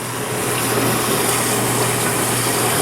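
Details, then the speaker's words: 1991 GE Potscrubber dishwasher on its first wash load, full of dishes with detergent: constant rushing spray, low steady hum and an airy hiss from the vent, which does not close. Quieter than empty. Normal wash noise. "it's full of dishes and it's got detergent in it so it's gonna be a little bit quieter than it normally is"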